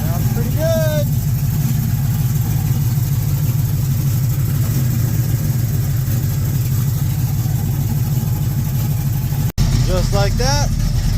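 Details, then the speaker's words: 1967 El Camino small-block Chevy 355 with Vortec heads and a big cam, idling with the valve covers back on after PRW 1.5 roller rockers replaced stamped-steel rockers. Deep, even idle with no ticking or misfire; it sounds less choppy and smoother than before. "we're in. Running good. Crazy. It sounds completely different."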